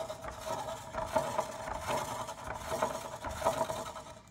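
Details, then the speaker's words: Midea U-shaped window air conditioner blower: a dry sandpaper rasp pulses about once a second over the fan hum. The blower wheel is not seated correctly and is rubbing. "so I've heard some people complain about like a sandpaper noise that's what this is"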